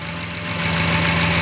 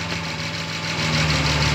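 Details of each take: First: 1972 Jaguar E-type V12 at 1450 m altitude, not fully warm, vacuum advance line reconnected to manifold vacuum, which advances timing and raises idle speed: smooth, even, steady low-hum idle with no misses, sounding happier; normal idle. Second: 1972 Jaguar E-type V12 at 1450 m altitude, not fully warmed up: even idle settles into a slightly slower, heavier beat when the vacuum advance line (fed from manifold vacuum) is disconnected. Timing retarded, idle speed drops.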